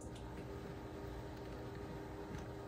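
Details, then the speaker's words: Yaesu FT-710 radio, fan calibration raised in service menu; faint steady airy hum with low constant tone, no rattle or ticking; cooling fan running normally. "if you increase the setting if you listen you'll hear the fan come on in a sec here"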